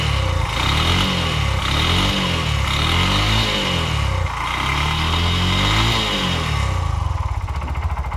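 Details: Bajaj BS6 single-cylinder engine, about 22,322 km, brought in for noise, oil suspected low; revving up and down with rough, uneven knocking growing with revs, connecting rod knock.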